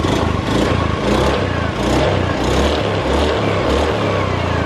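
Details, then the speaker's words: Honda Scoopy FI that was smoking a month after a rebore, refitted with a Honda Blade KWB piston and doubled base gaskets; smooth even revving, slight noise starting at the roller housing, no smoke: normal revving. "Nah, suaranya ya, mesin halus, cuman di bagian sini rumah roller sudah ada sedikit bunyi, sudah mulai bunyi ya."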